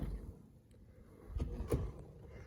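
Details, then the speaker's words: Second-generation (2007-2013) Toyota Tundra front door after replacing the failed door check with an aftermarket unit greased with high-temp grease: a soft swing with only a faint low thump and no more clicking or clacking. "it's quite a bit quieter than before no more Clickety clacking"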